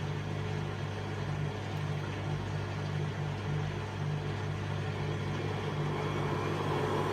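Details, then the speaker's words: Hotpoint Aquarius Extra WMA40 washing machine on a test wash with the top off: low steady hum with a faint uneven rumble. The drum appears bent and doesn't run smooth; owner suspects worn bearings. "Just looking at that drum there, it doesn't look like it's running smooth. It looks like there's a bit of a bend in the drum. Let's just leave it and see what kind of noise it makes."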